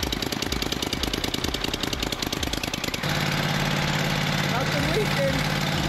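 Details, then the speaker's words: Rebuilt Kohler CH25S V-twin on a Grasshopper zero-turn after first start, oil pressure good, no leaks, warming up: fast uneven chug settling into a steady, even drone with no knocking or clatter; sounds really strong, normal running. "we'll just go over the engine one more time see it's starting to heat up nice sounds really strong"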